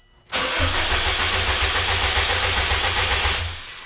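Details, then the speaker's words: 2004 Subaru STI, sat over 2 years, new battery: cranking with ignition fuse pulled to build oil pressure before first start, clutch in; steady, even cranking about three to four pulses a second, no firing, healthy starter. "Don't want to burn that starter out, but we do want to start building some pressure, so we'll leave this for a second."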